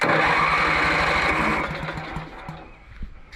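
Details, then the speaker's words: Riding mower after rain, with choke, previously running after its muffler patch: engine spins over steadily at about three and a half beats a second, never catches, winds down; first suspected grounding or flooding, then a shorted ignition coil was found; a new coil later fixed it. "The coil's shorted out. That's why I've been having problems with the thing."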